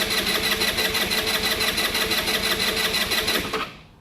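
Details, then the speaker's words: Genuine Buddy 125 scooter after carburetor rebuild, first startup cranked without throttle while vacuum petcock refills bowl: steady fast starter whirr, pulses about three a second, never catches; empty float bowl, no start. "So, under this first startup, it's a good idea to crank the engine without adding any throttle."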